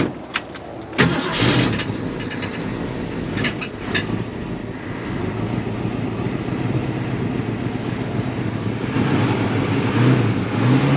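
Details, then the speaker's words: 1967 Ford Mustang, original one-owner car with 289 V8 (200 hp) and C4 automatic, cold start after pumping the gas two or three times: starter catches within a second, V8 settles into a steady, even idle with no misses or knocks; normal start. "but pump the gas like two three times and it should fire up"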